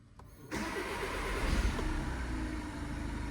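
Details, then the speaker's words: Seat Leon 1.6 TDI after timing belt replacement and recoding injector number three to fix shaking: diesel cranks briefly, catches cleanly and holds a steady idle with no shake or misfire; repair successful. "no shaking noise looking good looking good"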